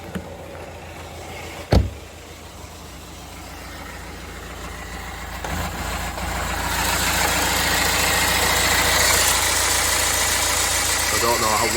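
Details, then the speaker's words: 2009 BMW 320d diesel, parked nine or ten months, engine light on and down on power: an uneven, lumpy idle from a misfire, with code 443C for the cylinder 3 injector activation; a possibly rough pulley or idler is also suspected. "well that comes across, but yeah, also sounds like we might have a pulley or an idler down here. It's a bit rough. So, that is fault confirmed."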